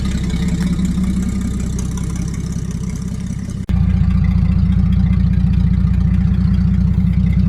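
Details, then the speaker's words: 1949 Chrysler Royal flat six, moved after sitting with brakes rusting to drums: low, even idle with steady soft beat, no knocks or ticks; owner says listen to that flat six purr, running smooth and healthy. "I'm really upset at myself for letting her get so bad. Listen to that flat 6 purr."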